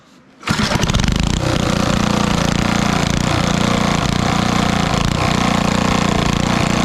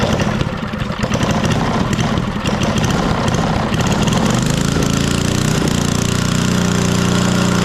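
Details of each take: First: 1964 Wards Power Kraft 110 V 1250 W generator with about 3 hp Briggs & Stratton engine, run on a stand: catches at once and holds a high, even buzz that never drops to idle; cause unclear, possibly no idle circuit. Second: 1964 Wards Power Kraft generator, Briggs & Stratton single, first run after long storage; plug had been wet, stuck float suspected, spark good, choke off: ragged uneven firing, then a steady, even drone. Engine running after long storage.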